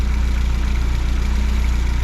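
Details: Fiat 124 Spider 2000 after swapping a partially failing coil, linkage hooked up, idling smoothly at about 800 rpm, timing at 10 degrees with vacuum advance disconnected; steady low pulse, no misses or pops.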